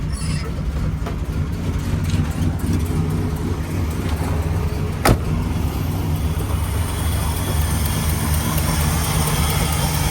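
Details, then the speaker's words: 1967 Pontiac GTO convertible, 400 HO V8, factory 4-speed, 355 rear, just fired right up without pumps; steady low burbling idle with even beat, no knocks or misses; normal idle. "See? Fired right up. I didn't have to give it any pumps."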